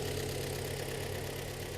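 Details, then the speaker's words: 2013 premium-trim car at about 140,000 km, in for an engine overhaul, at cold idle settling down: dull hollow light knock, piston slap heard on cylinders four and three before warm-up. "вот сейчас по успокаивается и уже слышно перекладку вот четвёртый слышно долбит четвёртый третий"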